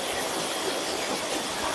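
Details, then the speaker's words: Surya Guna modified jet water pump, 800 W, after its outlet was filled and the elbow fitted: steady, even water rush over a constant motor drone with no knocks or surging. Full 1-inch spray, running normally. "dan siap kita nyalakan. Nah, oke. Semburannya seperti ini ya, Pak. Jadi ini full satu dim."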